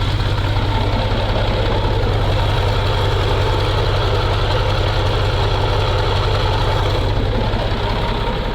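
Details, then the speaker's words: MAZ truck diesel started in frost after long storage, using quick-start spray in the intake: steady, even low rumble with a regular beat and no misses or knocks; normal cold idle. "Con quái vật của chúng ta đã sống dậy , đang thì thầm."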